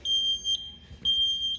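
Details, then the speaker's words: Taylor C723 soft serve machine, sensor ribbon pulled while replacing a faulty left hopper thermistor: two long, high, steady half-second beeps with a pause between, the hopper over-short fault alarm. "Okay. Hopper over short. So, it doesn't like that obviously,"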